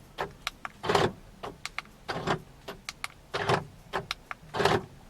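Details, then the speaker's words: BMW Z4 with EWS: short paired clunks from the door lock motors in regular bursts as the remote buttons are pressed, confirming an unprogrammed key was just programmed (key in position 3 three times, hold unlock, press lock three times). "let go and as you can hear this key is now programmed to the car"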